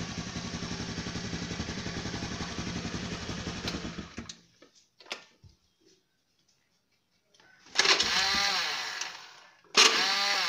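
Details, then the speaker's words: Honda Beat scooter after bypassing the CDI starter relay with a jumper wired to the battery: small single-cylinder engine starts and idles at a steady even beat, then shuts off, confirming the CDI relay was faulty. "Hidup. Oke bro, ternyata bisa hidup. Itu tandanya kalau yang rusak adalah sistem relay pada CDI-nya."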